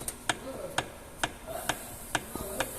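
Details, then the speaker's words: Kia Cerato front shock absorber, removed and rocked sideways: sharp regular clicks about twice a second from lateral play; not leaking and still damping well, but the play makes a knock easily mistaken for a stabilizer link. "tá vindo isso aqui é folga lateral no amortecedor o amortecedor Não tá vazando ainda tá com ação boa tá que tem uma boa sombra amortecedor Mas ele tem uma folga lateral ele cria uma folga lateral que vai dar esse barulho ao rei que é bem típico de um barulho bem semelhante a bieleta"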